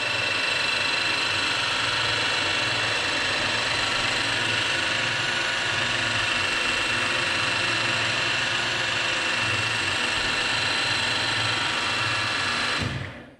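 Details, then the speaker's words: Restored old milling machine, fresh oil, spindle in fastest high-speed gear: bright steady gear whine over an even hum, no knocks or grinding, clean spin-down; normal running at top spindle speed. "so you pull this out and you lock it in place and this should be this should be that this is the fastest speed"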